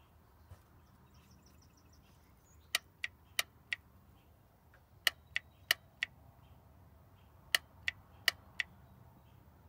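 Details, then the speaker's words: 1990 Oldsmobile Custom Cruiser wagon, 403 engine, 200-4R transmission: key in run position, no fluid in the transmission, so the torque converter clutch lock-up solenoid gives sharp audible clicks as power is applied or released; solenoid switching normally. "now the key is in the run position if you listen carefully there's no fluid in it so you'll be able to hear an audible click see that's your lock up solenoid"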